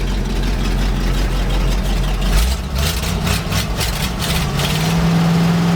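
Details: 1975 GMC C6000 with 350 V8 and 5-speed, first start in 10 years, mouse nest cleared from exhaust: deep uneven loping idle with no clean rhythm; runs rough, owner suspects weak fuel pump, cause unknown.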